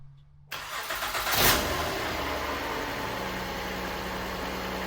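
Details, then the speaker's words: 2013 Honda Accord, 2.4L K24 Earth Dreams engine with 252,000 miles, idling; the serpentine belt tensioner is going bad and its pulley is starting to howl, with a faint steady howl over the idle. Belt tensioner pulley bearing noise. "The tensioner is going bad. This pulley here is starting to howl pretty bad."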